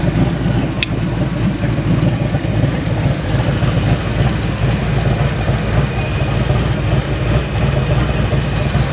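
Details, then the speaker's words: 1989 Ford Mustang GT V8 first started after sitting over 10 years: smooth, steady idle with even low rumble, no misses, ticks or knocks, oil pressure good; normal idle, voltage still to check. "Oil pressure looks pretty good. Idle looks good."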